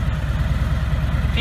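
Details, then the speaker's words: 2017 Harley-Davidson Ultra Limited (FLHTK), Milwaukee Eight 107ci (1746cc) V-twin; steady, loping idle thump with no top-end ticking, lifters much quieter than older Harleys' sewing-machine sound; normal idle. "it wasn't it was just the sound of the lifters and stuff that's much quieter now"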